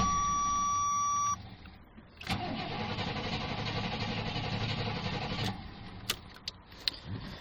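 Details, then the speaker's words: Second attempt after spraying ether on a fuel-injected gasoline Suburban (first year of that injection, known surging): chime, then steady cranking about four turns a second that never catches; likely out of gas, no start. "all right here's try number two I sprayed a bit of ether in did get it running earlier so let's see if she'll go doubt it"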